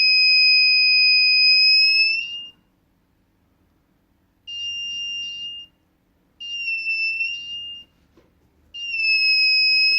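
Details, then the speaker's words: DIY MQ-5 propane leak detector, tested with gas from a lighter: steady shrill buzzer tone in one-to-two-second bursts with short gaps as the sensor alarms on gas. "so if I go the closer I go the faster should start beating a lot"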